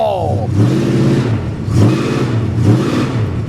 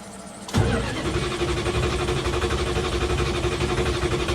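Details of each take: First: 1973 Plymouth Scamp flood car, automatic, four-barrel carburetor, just after its first start at the salvage auction: a deep, throaty rumble swells with repeated throttle blips and settles back each time. It pulls cleanly without misses, a healthy-sounding engine. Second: 1973 Plymouth Scamp flood car from a Copart auction, started while flushing the transmission fluid: the engine catches after a rough start and runs ragged and uneven. It is hard starting, with no cause given.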